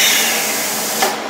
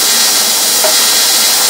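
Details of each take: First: Rossi TC205 AC TIG welder set to 66 amps, on a gas flow test: a steady, strong hiss from the torch continues briefly and then drops away. Gas flow and post-flow work normally even though the welder will not weld. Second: Rossi TC205 AC TIG welder (replacement unit, failed about a year after arrival), base current around 66 amps, electrode held in one spot: steady hiss with no firm crackle, a feeble arc that won't strike well or form a pool.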